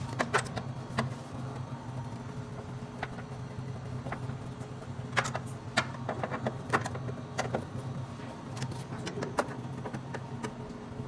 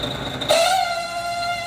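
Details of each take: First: Refrimate beverage display cooler after replacing the worn, noisy condenser fan motor near the compressor: steady low hum running quietly, no rattle or squeal, a few handling clicks. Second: Refrimate beverage display cooler, noise from underneath: steady, rather high-pitched whine from the small condenser fan motor with a dry, worn bushing; motor to be replaced.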